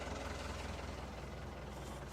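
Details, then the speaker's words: Boat diesel engine just after cold start following a long layup with glow plugs, fresh oil: soft steady low rumble with even beat, no knocking or misses, no smoke, water coming from exhaust, good oil pressure; normal idle. "I don't see any smoke. That's a good sign. So she's purring like a kitten. Looks like she should."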